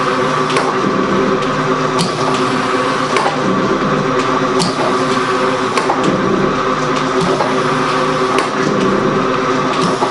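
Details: Gould & Eberhardt 24-inch heavy duty shaper (1912 patent date; owner guesses 1912–1930), newly acquired, on a test run with the tool lifter on; very quiet, most noise is from the belt. Steady belt hum with a crisp tool-lifter click about every second: normal running.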